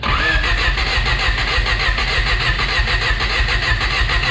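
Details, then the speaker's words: Honda Prelude cranking on fresh fuel: starter cranks steadily at about 98 beats a minute but never catches; crank no start from a misinstalled distributor gear. "we got the gear on the distributor flipped around uh we got the gear put on the crank pulley down there so we're good to fire it up now"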